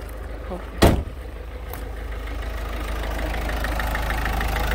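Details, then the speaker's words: Citroën C4 Picasso 1.6 HDi 110 diesel after injector seal work: a single thump, then a steady low rumble that settles without misses or knocks; idle stabilized and running normally. "alors voyez là on est on a retrouvé un un bruit moteur stabiliser normal fonctionnement normal"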